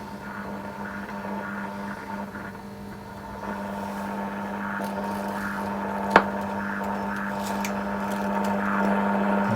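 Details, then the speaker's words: Philips Australia Model 1052 valve mantel radio under restoration, receiving short wave but switched to medium wave: steady low hum with faint hiss and no stations; no medium wave reception, oscillator suspected not working, unconfirmed. "Still not getting anything on medium wave still. It really sounds like the oscillator's not doing anything."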